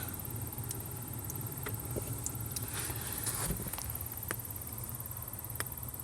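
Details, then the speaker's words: 2012 Ford Fusion blower motor removed and hanging out, low speed: low steady fan hum with scattered irregular high chirps; chirping/clicking comes from the motor itself, not housing rubbing; replaced with MM-1091 motor. "just having the motor hanging out and turning it on it's still chirping so it's the motor itself"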